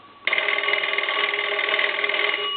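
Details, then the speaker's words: Cracraft Leich wood wall crank telephone after repair, bell wiring and inside circuits redone, ring cycle test: clear, steady double-bell ring with even bright metallic strikes, no rattle or buzz; normal bell ringing. "i'm going to go ahead and ring the telephone that gives you an idea of what it sounds like on the ring cycle what it sounds like on the ring cycle there"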